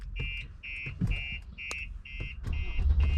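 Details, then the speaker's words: 2019 Mercedes X-Class with StarLine S96 alarm and immobiliser: loud siren pulsing about three times a second over low rumbling as the engine tries but fails to crank, because the tag is absent and the vehicle is immobilised. "But the moment they open the door now, because they don't have the tag, the alarm goes off nice and loud when they get in your vehicle and try and start it."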